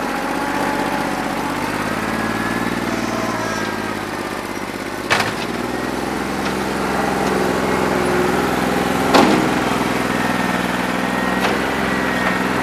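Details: New Holland 1320 diesel tractor with a bad injector, running on about 2¼–2.5 cylinders, hot after 3 hours of loader work: uneven, lumpy beat under load with occasional loader clunks; misfire, owner thinks it needs an injector.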